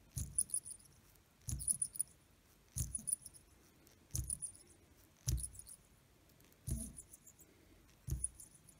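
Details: ETA calibre 2772 watch movement with an oscillating weight plain bearing problem: bursts of light rattling and scraping about every second and a half as the rotor swings, suggesting a worn or dry rotor bearing, not confirmed.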